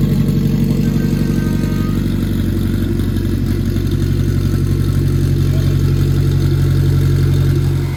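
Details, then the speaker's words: Acura RSX, K20 with stock turbo kit, just after first startup of build: steady, even idle with smooth low rumble, no knocks or misses; engine sounds good; normal idle. "all right guys so we had a super successful day we did the first startup everything went really smooth the engine sounds really good"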